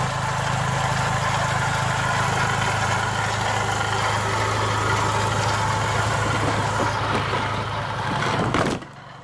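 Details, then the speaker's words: Chrysler PT Cruiser petrol engine idling, recorded from outside the car, with a constant loud rough scrubbing rattle; traced to a worn water pump bearing, found during timing belt teardown. "This the one that was making all the noise. While it was running loud, scrubbing noise, I sold tear down time."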